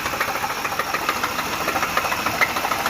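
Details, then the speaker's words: 3.8-liter supercharged engine: loud, regular knock at idle, about one or two a second, over a quiet hum; rod knock, engine later would not turn over after restart, needs a new engine. "you know what that noise is sound of a rod knock"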